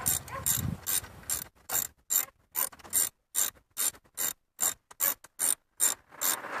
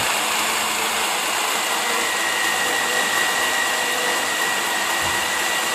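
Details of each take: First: 1998 Chevrolet S10 4.3 V6, 310,000+ miles, old idler pulley removed and spun by hand: bursts of dry ratcheting clicks then rough rushing spin; worn bearing, new pulley spins silent. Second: 1998 Chevy S10 4.3 V6 with 310,000+ miles, running after replacing the melted belt tensioner, idler pulley and serpentine belt: steady, even whir with a faint high whistle and no squeal, chirp or slap; accessory drive running normally.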